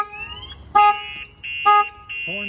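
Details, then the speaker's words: 2004 GMC 2500 HD with newly installed Viper alarm, armed: loud repeated two-tone siren bursts about once a second with rising chirp, both sirens sounding, tripped by opening the door. "let's see if somebody was to open the door not only one silence [Music] so now it's even louder you can hear both of them going off"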